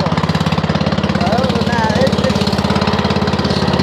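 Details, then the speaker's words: Toro twin-cylinder mower: idle thumping with a hard, choppy pulse and no smooth overlap. Spark confirmed on one cylinder; owner suspects it fires on one cylinder only, not confirmed by tests. "it's got some issues I got a sword out on it I almost think it's running on one cylinder but I'm not sure"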